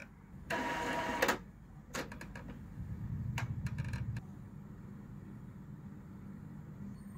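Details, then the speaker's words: Epson L3250 printer running a print head cleaning started from the driver's maintenance menu. Quiet clicks and short whirring carriage bursts, then a low pump hum settling down; a normal head-cleaning cycle. "Kita dengar printer dah ada berbunyi tu. Dia sedang buat head cleaning supaya apabila kita print nanti, dia akan lebih clear dan terang."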